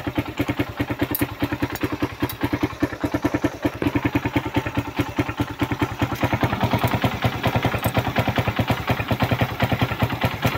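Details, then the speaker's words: Suzuki Raider 150 heard through a stethoscope at the bottom near the crankcase: heavy, rapid clattering knock about two beats a second. Bottom-end damage from the engine running dry of oil. "doon sa ilalim sa may crankis maingay"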